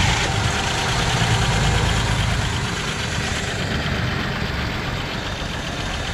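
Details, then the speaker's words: 1981 Oldsmobile Cutlass Supreme after fuel pump replacement, started without a jump: catches on its own and settles to a steady, slightly lumpy low idle, nothing knocking; runs, though not happily. "but it runs and it doesn't sound like death it doesn't sound like life either perpetually idling I wouldn't say happily"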